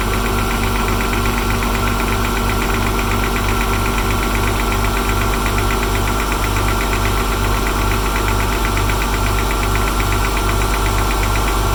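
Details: Porsche 996 on a cold start: steady light ticking, about three ticks a second, at idle; the separate buzzing comes from a loose bumper clip that fell into a crevice.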